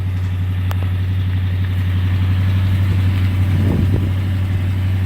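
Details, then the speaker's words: 1987 Jeep Grand Wagoneer after restoration with a new muffler replacing the old glasspacks and new hood insulation, started at 23 degrees: low, smooth, steady idle hum with no knocks or ticks; runs quietly and evenly. "now we're going to start it up hear how quiet that car runs"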